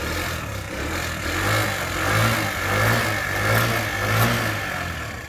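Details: Daelim Couple 50cc scooter, ridden under 1000 km a year, at its final start check after a street replacement of the broken drive belt. It fires and runs with an even beat, rising smoothly on light throttle, with no belt slap or rattle. Normal running.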